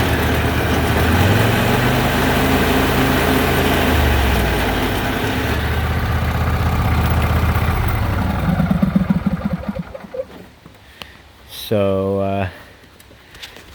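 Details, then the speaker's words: Craftsman YT4000 lawn tractor, rear jacked up, drive pulleys feeding the hydrostatic transmission: low idle carries an uneven rumbling vibration of about four per second once the drive belt engages. Owner suspects worn pulley bearings or a misrouted belt, unconfirmed. "I think the bearings are shot in them, or maybe a belt's not routed properly, because right now I got the brake on so the drive belt's not engaged, but as soon as I engage the drive belt you get this noise."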